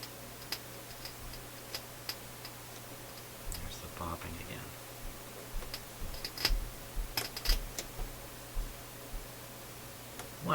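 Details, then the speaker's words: Philips console stereo receiver on phono/auxiliary input, ear near the speakers. Low steady hum with sharp, irregular pops and crackles from both speakers, different in each channel: intermittent output-circuit popping, cause not yet found. "there is crackling coming out of both speakers but it's not the same crackling"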